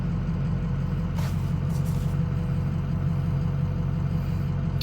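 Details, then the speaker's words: Ford 6.0 diesel truck that starts then dies for no clear reason despite new wiring harness, IPR valve, cam and crank sensors: steady low idle with faint air hiss; stall not heard, cause unknown. "so i don't know been sitting i don't know how long but it has been 7 minutes and it started right up now it's very weird but it i mean it just dies just flat out dies"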